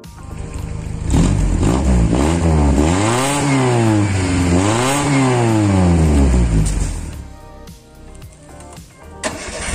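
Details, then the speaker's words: Ford Laser after replacing the broken exhaust's front resonator (middle one no longer functioning); two smooth revs rise and fall with a deep, even, bassier and slightly louder drone, no rattles or leaks, back to idle; normal exhaust note. "jadi begini suaranya ya Eh sudah lumayan keraslah bagi saya karena saya tidak begitu suka yang terlalu Karya"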